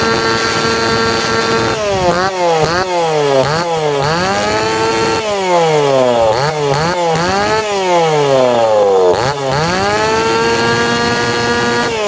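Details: Tanaka PowerMate PMS340 two-stroke pruning saw, warm, after fuel delivery system repair and final tune-up; repeated crisp blips rising cleanly and dropping smoothly, no bogging or hesitation; now correct, ready to hand back.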